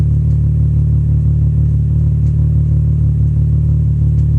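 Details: VR6 engine idling slightly rough: loud low idle with an uneven, lumpy pulse about three beats a second.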